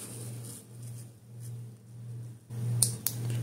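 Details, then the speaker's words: Transmission shift solenoid bench-tested with multimeter per Toyota procedure: low electrical hum, then crisp single clicks when energised; solenoids actuate normally and are in good working condition. "so these two Shi Solen no are in very um working order and working condition they're very good"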